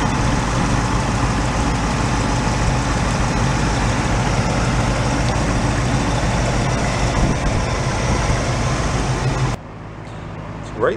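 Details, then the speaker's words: 1986 Oldsmobile Cutlass Supreme V8, automatic, sat about five years, hunting a miss: steady low idle with uneven ticking pop about three to four per second on one side, possibly both; possible exhaust leak, unconfirmed. "automatic rides pretty good the brakes are fine it pulls a hair to the right but not terrible it's popping on this side"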